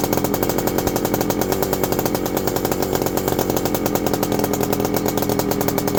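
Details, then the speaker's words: Husqvarna WR 400 two-stroke first start after reassembly; raspy, fairly steady running with sharp popping exhaust pulses, then dies; owners suspect flooding, may hold throttle wide open and crank again. "We're flooding for some reason. Might have to hold it wide open and crank it back in."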